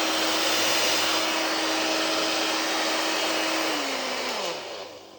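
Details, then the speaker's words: Hair dryer after repairing a worn, wobbling shaft bearing with a homemade PTFE washer: smooth steady fan whoosh and even motor hum, no rattle or wobble, clean spin-down when switched off; runs normally. ">> Seems to work. We'll see how long it lasts."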